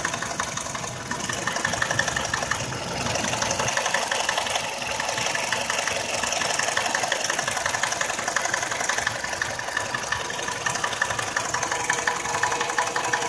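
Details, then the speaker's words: Nissan X-Trail, 346,000 km, engine rebuilt 2.5 years ago for oil consumption: runs quiet cold, no fault codes, but after 11 minutes warm a light regular ticking knock starts near the timing drive. Drive belt removal changed nothing; timing chain suspected. "вот ровно на 11 минуте мотор начал стучать плавно учит в районе привода грм"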